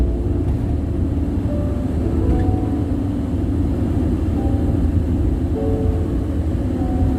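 Constant deep roar with no rhythm or pitch change while cruising at steady speed; loud tire noise coming through from the road.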